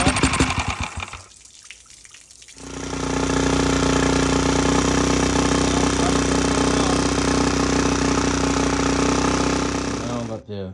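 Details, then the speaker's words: Mercury outboard revived after sitting: after a couple of pulls it settles into a steady, even buzzing run at constant speed, then shuts off. Running normally. "Merk tourne ."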